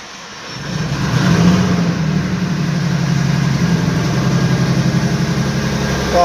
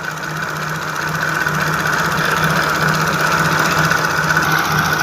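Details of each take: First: Jaguar F-Type V6 petrol, after fixing random cylinder 1 and 3 misfires, fuel rail pressure sensor over-fueling, and clearing codes: starts, flares briefly, then settles into a smooth, steady idle with an even low beat; normal idle. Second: Jaguar F-Type V6 with faulty fuel rail pressure sensor plugged in: idles with an uneven, pulsing thrum and loose irregular beat, vibrating from over-fuelling; random misfires, codes on cylinders 1 and 3.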